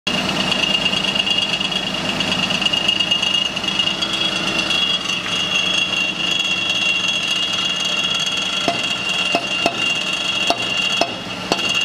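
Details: Suzuki Wagon R Stingray MH23S / Mazda AZ-Wagon MJ23S. Tinny metallic "karakara" rattle from under the footwell over a quiet idling engine, caused by the exhaust front pipe/muffler; the fix is replacing the front pipe.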